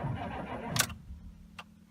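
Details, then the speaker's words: 6.5 turbo diesel dually, cold snowy evening start, block heater unplugged: engine turns over sluggishly with sharp clunks, barely catches, then fades to a weak low rumble. Owner suspects dead glow plugs and weak batteries; hard cold start. "I'm definitely have to plug in the batteries to a charger and break the block heater plugged in I got some dead glow plugs this thing's not liking me too well here"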